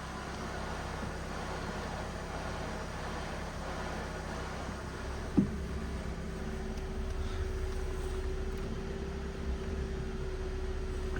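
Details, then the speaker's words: Car at 69,600 miles at idle: a thin hum drops away and a higher steady whine comes in midway from the clutch area; owner thinks the clutch is really noisy and may need replacing, cause unconfirmed. "that's a noisy clutch if we got to do the clutch on this that's that's mad"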